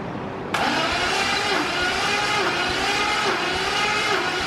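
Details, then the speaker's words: Engine cranked for the first time in two years: steady, even starter whirr at a healthy, consistent cranking speed with no drag, while oil flow is being checked; normal cranking speed. "but it sounded like it was turning over pretty decently there so i don't think that's it"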